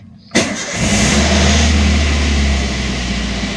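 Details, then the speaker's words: Car left nearly a week unwarmed, started for a proper warm-up to keep the battery from draining: short crank, then it catches cleanly and settles into a steady, even idle with no misses or knocks. "ini mesin sudah menyala ya teman-teman ini caranya memanaskan mesin yang benar agar akinya awet ya teman-teman"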